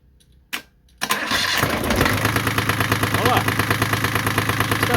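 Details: Yanmar 3GM30F sailboat inboard diesel started with the faulty main switch bypassed by jumper wiring; brief quiet, short crank, then catches into steady even knocking idle. Normal start; switch to be replaced.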